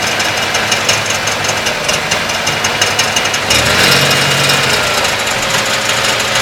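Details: 1992 Ford Taurus, Vulcan V6 idling: harsh uneven clatter with constant gritty grinding, first occasional clattering now grinding; persists with alternator and serpentine belt removed, seems from right side in the block; cause unknown.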